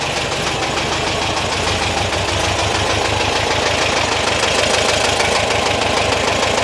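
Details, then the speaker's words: 1973 VW T2 Bay camper, flat-four with twin-choke carbs, after exhaust refitted and gearbox mount repaired, likely driven long on three cylinders: busy, slightly uneven air-cooled chatter at steady fast idle, no heavy knock; running quite well. "but it's it's running quite well considering in considering how far it's probably been driven on three cylinders hopefully"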